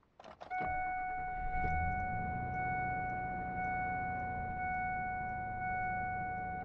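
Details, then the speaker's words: 2001 Ford F-250 Super Duty with the 5.4 L Triton V8, started right after an oil change, oil pressure rising quickly. It catches quickly and settles into a smooth, even idle with a chime; there is some exhaust leak on one side. "listen to that baby purr it legitimately does sound better"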